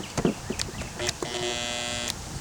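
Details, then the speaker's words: Black & Decker jigsaw left out in heavy rain under a tarp: the motor barely starts and gives a steady electric buzz, seized and unable to turn; WD-40 is applied to try to free it. "It's almost like that motor doesn't even want to start. Oh, there it goes. You hear it buzzing anyway. It's really froze up though."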